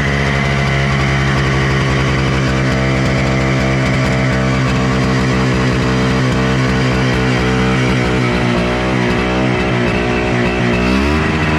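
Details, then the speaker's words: Honda FL250 440cc two-stroke, untuned, restarted: loud raspy idle that wanders and surges, pitch jumping near the end; owner is sure it runs super lean, smoking and spewing oil everywhere. "smokey yes these definitely need to be tuned and I'm pretty sure it's running super lean right now and by pretty sure I mean it has to be"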